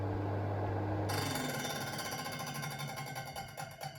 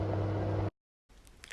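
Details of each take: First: Electric oven in convection (fan) mode: fast, uneven clatter and scrape over the fan hum, loudest as the fan runs down after switch-off; fan catching on grime, not necessarily a defect. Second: Electric oven on convection (Umluft) mode with no temperature set, after repair of rattling fan: steady low smooth motor hum with no rattling or clatter; normal fan operation.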